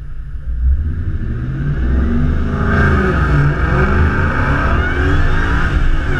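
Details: Mustang with supercharger revving: high steady whine rising and falling with revs over exhaust rumble; normal supercharger whine.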